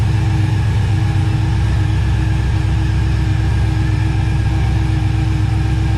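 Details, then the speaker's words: Barn-find Mustang that had been sitting, back running while warming up; steady, even idle with a low, smooth beat and no misses, knocks or ticks: normal idle. "looks like it's back from the dead like it never left let it warm up a little"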